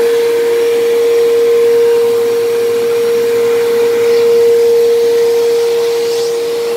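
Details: Dyson DC07 vacuum, left sitting a long time: a loud, steady high-pitched motor whine over the airflow rush. It was loud from worn motor bearings and has worsened, now much louder than a similar Bissell, but still passable.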